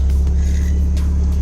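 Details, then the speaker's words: Mazda Miata small four-cylinder after cylinder head replacement, jump-started: steady, even low hum at idle with no lumpy tractor-like beat; sounds normal. "right sounds good to me it sounds normal"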